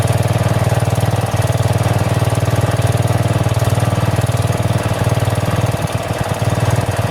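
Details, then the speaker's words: 12 HP single-cylinder engine on refreshed 35-year-old log splitter: steady thump near four beats a second that sags and recovers; governor hunting, engine surging; owner suspects the carburetor needs adjustment. "the only problem right now that the governor hunts a little bit on the engine I don't know if 30 carburetor maybe it needs an adjustment but it runs pretty well so I'll fire it up for you"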